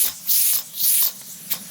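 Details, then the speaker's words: Afghan kazan pressure cooker during preparation, moderate heat: three sharp bursts of steam hiss then a short puff as pressure valve lifts; valve venting steam normally. "вот слышите Как шипит Вот видите пошёл пар из клапана клапан работает"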